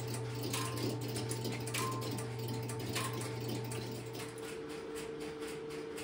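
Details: Stromberg Carlson X-Y telephone switching equipment in a private old central office collection: steady electrical hum with fast, even mechanical ticking of about three per second as the interrupter starts and runs normally after a call is placed.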